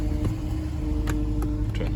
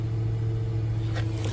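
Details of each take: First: 2009 Infiniti FX50 at low idle after start: uneven, stumbling beat with irregular dips under the exhaust drone. Pending code P0302 shows a cylinder 2 misfire from a failed ignition coil. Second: 2009 Infiniti FX50 V8 after replacing a coil pack for code P0302: steady, smooth low idle hum with no stumbles or missed beats.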